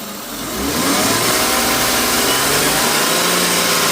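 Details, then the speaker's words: BMW E36 328i idling: faint steady whine over a hissy background that follows engine speed, from the power steering pump; cause unknown, owner doubts it is normal, louder from inside the car. "I still can't figure out why my power string pump is making this noise. And the question is, is this normal?"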